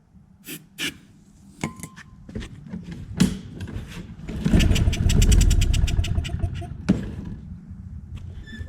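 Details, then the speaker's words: Free Craftsman push mower during diagnosis, with spark and compression confirmed: several pull-cord tries, then a short burst of rapid firing on starting fluid that dies within seconds. Carburetor not delivering fuel; plan is to rebuild it, drain the tank and add fresh gas. "we know that it has spark and compression so we're going to take off this carburetor rebuild it we're going to drain this tank put fresh gas in and see if she's going to run"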